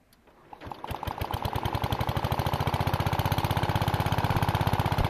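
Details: MTD 760/960 tractor with cast-iron Briggs & Stratton engine, crankcase breather hose removed due to oil leak, jump-started: cranks, catches, then quick slightly uneven putter; runs rough, cause not found.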